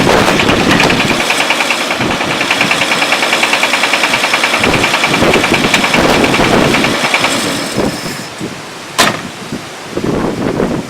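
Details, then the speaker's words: Car engine with a broken connecting rod bearing, bearings later all replaced: loud harsh running turns into sharp heavy metallic knocks about three a second, rod knock getting worse before shutdown. "Literally a knocking sound. Let me shut it off. So now it's getting worse."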